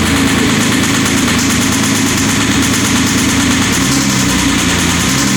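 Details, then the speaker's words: 2007 Porsche Cayman S flat-six with 6-speed manual, started to demonstrate bore scoring before engine removal for rebuild: loud steady idle with a persistent light ticking knock in the background. "Now I'm going to take these keys, hop in, get it started for you, show you what the bore score sounds like, and then we'll dig right in."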